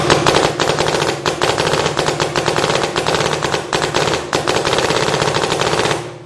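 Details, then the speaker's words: 2009 Smart Parts Shocker NXT paintball marker, 2009 board in Millennium mode, which ramps only after trigger pulls reach 8 balls per second; two-finger pulls give rapid even sharp pops without hesitation, ramping cleanly. "See, it's not ramping because we got to pull it at 8 balls per second. So let's use two fingers."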